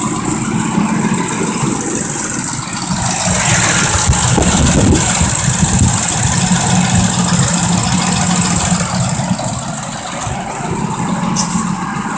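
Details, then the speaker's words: 2005 Ford Expedition 5.4L Triton with forward clutch transmission problem: rough idle at startup with quick uneven clacking about three to four times a second; valve train clatter from the top end, cause suspected. "the first thing I want to pay attention to when I get this vehicle started is the clacking noise that's coming out of the engine"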